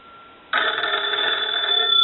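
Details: Kellogg wooden wall crank telephone being checked out and repaired, ringer tested on a line analyzer: a crisp, bright bell ring starts cleanly and holds steady to the end, so the ringer works properly.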